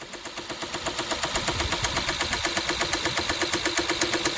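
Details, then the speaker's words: Engine that shut off and lost all its coolant, then was refilled. A steady, sharp, loud knock about three beats a second over idle, deep in the bottom end. Overheating suspected; likely needs a rebuild. Engine knock. "Customer states, "A couple days ago, my car shut off and all the coolant leaked out, so I filled it back up and now it's making this noise. Going to take a not so wild guess and say they overheated it and that engine is in need of a rebuild.""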